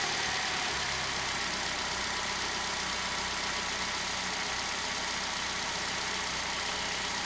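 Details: Hyundai i10 engine on its spark plugs, unchanged for 15 years, before replacement: a steady, even idle with no misses, knocks or ticks, just a smooth hum and hiss until shutoff; healthy.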